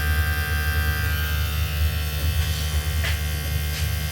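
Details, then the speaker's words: Second off-grid solar ice block machine with DC compressor on solar panel and battery, no inverter: steady, even low hum, no knocking or rattling, smooth constant drone; compressor running normally. "It's also working at the moment. So you can hear the sound. The engine is running smoothly."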